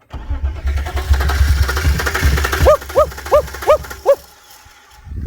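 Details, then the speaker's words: BMW 328i, quarter tank of fuel, suspected wiring issues: starter spins the engine at a steady rhythm for a few seconds but it never fires. Crank no start. "It turned over and didn't crank. Well, not that time. Huh? Huh? You didn't hear it crank up earlier? No, it didn't crank up."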